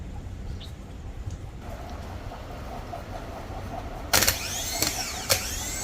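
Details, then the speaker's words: Lexus GS 300 (2007/2008) with a no-crank complaint, used junkyard starter tested before fitting. A sharp clunk, then a high whirring spin that winds up and down; the starter works normally. "Car is good cranking"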